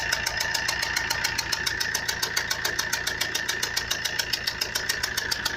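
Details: Fiat Punto 1.3 Multijet diesel: a loud, fast metallic rattle of about 3.5 beats per second at idle, tracking engine speed, which began suddenly during motorway driving at 140–150 km/h. Internal engine knock of unknown cause.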